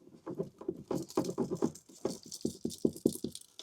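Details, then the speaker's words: Door switch removed from a 2012 Mazda 3 with overnight parasitic battery drain traced to one fuse, shaken by hand: light irregular rattling and ticking from a loose metal fragment inside; good chance it caused the drain. "Something rattling around in there. There's a good chance that's what it was."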